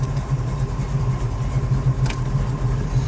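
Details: 1972 Chevrolet El Camino, big-block GM crate engine marked 454, just started and warming at idle: deep steady V8 burble with even low pulse, no knocks or ticks; healthy, A/C compressor later loads the engine.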